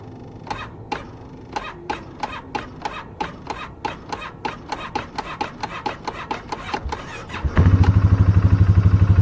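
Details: 2018 Polaris Sportsman 570 with no start and display going out: starter turns the engine over evenly, about three strokes a second, for about seven seconds, but it never catches.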